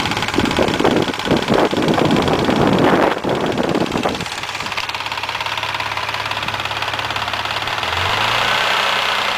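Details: Mazda MX-3 engine warmed to normal operating temperature, idling: after some knocking, a steady metallic clatter over the engine; owner asks what the noise and problem are, source unclear.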